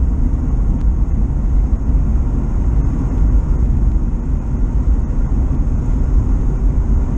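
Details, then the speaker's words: 1973 VW T2 camper on the road after carburettor removal and jet unblocking for fuel starvation and misfire: a deep, even rumble builds under light acceleration with no stumble, pulling and sounding better. "Well, it's definitely pulling better, and it's sounding better."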